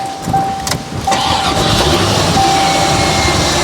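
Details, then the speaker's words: 1990 Corvette C4 V8, manual, barn find after 30 years, after loose spark plugs that had caused no compression were tightened. Brief crank, then it catches at once and settles into a strong, even idle; a clean, healthy start. "Perfect. It just fires up remarkably well, doesn't it? Perfect. Now, it's like a new car is that."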